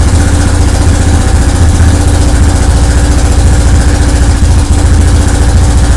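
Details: Yamaha 660 Raptor single-cylinder quad after top-end rebuild, running on a car battery because the original seems weak. Steady, even thumping idle, low and regular, with no knocks or stumbles. Engine running normally.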